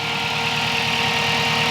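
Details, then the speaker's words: Spal 16-inch electric radiator fan (owner believes 1500–1800 CFM) on turbocharged Toyota Pickup, warm idle after blown fuse replaced: loud, steady rush of air with faint hum, extremely loud, blowing more than the old fan; normal operation. "but now it's working fine very strange but the fan is activated and it is extremely loud"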